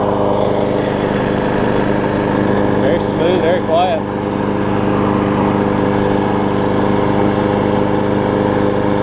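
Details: Six-horsepower Quantum-type Briggs single-cylinder, moved from a Murray to a Craftsman deck, blade on. Holds a steady, even drone at working speed with no knocks or misses; it runs good, normal running.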